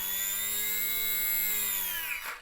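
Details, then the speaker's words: E-flite Radian UMX ultra-micro RC trainer plane, 1.5 oz with battery, electric motor under throttle: clean high whine holding steady, then dropping as it winds down; healthy motor with plenty of power. "there's just plenty of power for this model the model weighs 1.5 oun with the battery"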